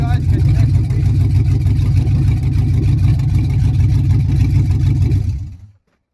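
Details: 1975 Suburban with a 6.0 LQ9 V8 swapped from a 2004 Escalade, first start with no coolant: very loud open-pipe rumble with a slightly lumpy, uneven beat before shutdown to avoid overheating. Runs rough; owner blames the missing O2 sensor.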